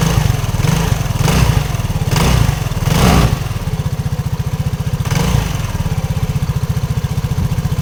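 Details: RUSI RFi 175 scooter engine at idle with a steady low putter, rough uneven knocking thumps and a few brief rev surges; engine knock, cause unclear.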